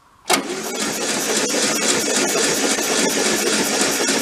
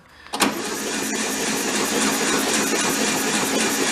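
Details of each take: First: VW Beetle convertible parked since 1995: starter cranks steadily in a rough, even rhythm but the engine never catches. Spark test at the coil wire shows no spark; the ignition points are fuzzy and need cleaning. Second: VW Beetle convertible parked since 1995, cranked on the starter to circulate oil: starter clacks in, then an even whirring crank with no compression pulses gradually picks up speed while pumping oil through. Engine has oil; compression test comes next.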